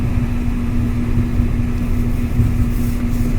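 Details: Kenmore gas dryer after repair, which had been loud with a clicking sound and whose drum wheels were checked: now a smooth, steady drum rumble and even hum with no clicking or squeal, running normally like new.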